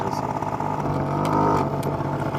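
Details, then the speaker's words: Honda Spree two-stroke scooter, first run after clearing the oil-clogged exhaust: steady buzzing idle that stays slightly fast; carburetor still off, idle set a bit high, owner plans to turn idle screw down. "ht she's running guys the carburetor's still a little bit the carburetor's still a little funny I hear the idle is just a little high right now but it is running"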